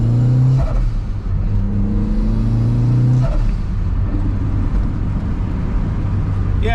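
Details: 1994 Mazda MX5 Miata, stock 1.8L turbo at 5 psi, after exhaust leaks were fixed and a 2.5-inch cat and resonator delete with a Racing Beat muffler was fitted, accelerating hard from 10 mph: a deep drone through the gears with no rattle.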